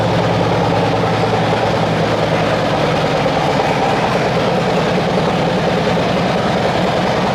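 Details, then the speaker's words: Cammed Harley-Davidson V-twin bought from Copart, first start: deep even rumble with steady throaty exhaust beat, no knocks or misses; normal running. "We've got power, guys. You hear the vroom vroom on that thing. You hear the vroom vroom on that thing."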